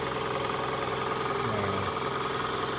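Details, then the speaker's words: 2002 Toyota RAV4, about 140,000 miles, idling in reverse or drive: coarse, violent rattle seemingly from the manifold area, rpm drops from 900 to about 550; gone in park or neutral; cause not yet found. "So right now it's in reverse, it's the noise. It's kind of violent from the manifold here."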